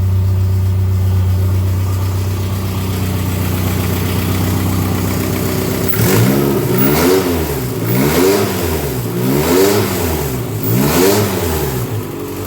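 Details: Dodge Daytona stock car, cobbled-together engine on first start with a booster, running on the stock computer, check-engine and alternator lights on: steady idle then surging up and down about every 1.5 s, hunting badly; blamed on the wrong computer, to be swapped for one with EGR/EVAP deleted.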